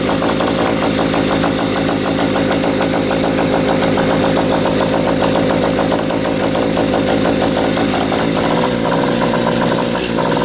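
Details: Bike single-cylinder engine at fast idle (likes a little choke at first start), uneven stumbling beats with dropped firings; owner gets sporadic, inconsistent spark and suspects a valve not seating fully; intermittent misfire, cause unconfirmed.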